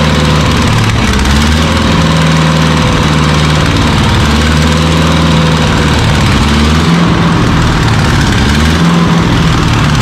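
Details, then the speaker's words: Carbureted skid loader engine, sat 8 months, half bottle of Seafoam added: uneven running with wandering lumpy beat and surging low drone, acts rich; owner suspects sucking air, sticking float or water in carburetor. "Like I said, it could be sucking air. It acts like it's running Richard Gates."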